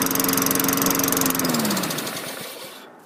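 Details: 2003 Craftsman 22-inch mower with a 4.5 HP Tecumseh engine, after a carburetor replacement, on a restart: crisp, even firing for about 1.5 seconds, then it winds down smoothly at shutoff. Runs healthy.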